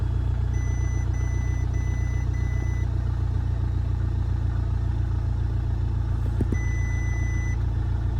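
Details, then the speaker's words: Damaged 2.0 Audi A3 saloon, first start after fitting a new throttle body, with many dash warning lights on; even, steady idle with no misses or knocks and a warning chime beeping over it. Normal idle. "seems to be all right."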